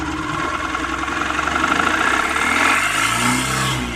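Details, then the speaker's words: 2013 Mahindra Maxmo diesel after repair of its no-start, no-acceleration fault (codes P0335, P0336, P1120, P0223): it starts on one key turn and revs cleanly, the pitch climbing and settling smoothly. Normal throttle response. "तो friend देख सकते हो गाड़ी में actor जो है आ चुका है गाड़ी एक्टर ले पहले एक्टर गा बिल्कुल नहीं ले रही"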